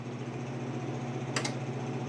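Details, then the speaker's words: Amana PTAC PTC153E50AXXXAA that had stopped heating, after control board replacement (RSKP0013), thermostat set to maximum heat: a steady low hum, then a crisp double relay click midway as the heat call engages, and heat comes on normally. "Hear it click. Thermostat's working. Yep, it's getting hot."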